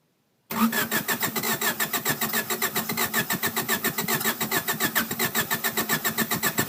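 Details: 1993 Honda Accord LX cranks at about four beats a second with an uneven rhythm but never catches, with the main relay plugged in and tested OK: crank, no start.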